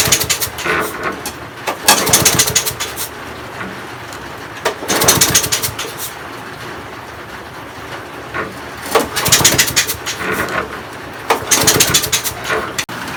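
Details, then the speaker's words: Broken petrol walk-behind mower, throttle wired just above closed, dead man's switch held open, confirmed fuel and spark: four pull-start bursts whirring briefly with no firing; owner suspects valve issue. "Still no luck, so the only thing to do now is to start tearing it down further. It's definitely getting fuel, it's definitely getting spark, so this could be a valve issue maybe, not too sure."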